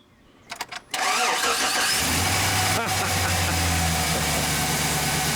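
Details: GMC Sierra 6.0L with battery dead at 9.8 V after key left on overnight, jump-started with a booster pack: a few quick clicks, brief cranking, then catches and settles into an even idle; starts fine.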